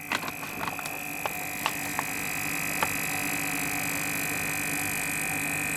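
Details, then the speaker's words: Newly installed SKD62 servomotor on a VXG41 three-way mixed hot water valve calibrating through its minimum-to-maximum stroke: steady high motor hum with a few sharp clicks early on; a normal actuator stroke. "donc là il va faire une course il va faire sa course au mini au maxi voilà maintenant il va pousser à fond"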